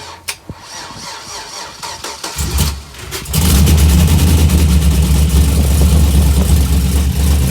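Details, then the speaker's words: 2004 Chevy Silverado 5.3L LS after a cam swap (218/227 duration, .526/.524 lift), first cold start with no accessories connected. Several cranks, then the V8 fires into a strong, lumpy idle. Normal cold start. "It'll be a cold start, and we're just doing it just to hear, make sure it runs, but we don't have any of the accessories hooked up yet because he has hydro boost, and we're still working on getting the new rack in."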